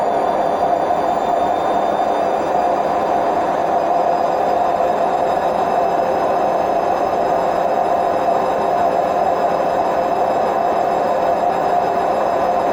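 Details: Hotpoint WMF760 washing machine on its high-speed spin program: a continuous loud roaring rumble with a steady hum. Suspected bad drum bearings.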